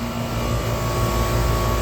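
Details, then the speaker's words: Outdoor unit of a 14+ year old third-floor AC on a no-cooling call: constant low hum with the low-pitch compressor tone plus fan rush, both running evenly; normal running. "I knew my fan was running I've seen it but I can actually hear that compressor"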